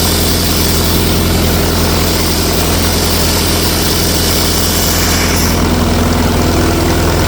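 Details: 1964 LeRoi 125G1 trailer air compressor, no muffler (straight pipe), output wide open so the compressor stays unloaded: loud, steady, deep exhaust drone with an even beat and no misses; runs normally.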